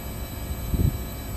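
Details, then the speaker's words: Mitsubishi high-wall split air conditioner outdoor unit, restarted in heat mode: even low fan and compressor drone, no clatter or screech; suction getting cold, running normally. "Yep, compressor is running. Let's monitor. Suction's getting cold."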